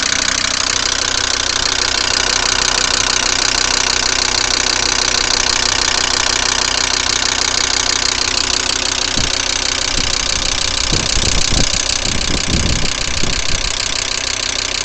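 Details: VW Crafter 2.5 TDI diesel started on a frosty morning: sharp, regular knock about three per second over the cold idle that does not let up; engine knock on cold start, cause unknown.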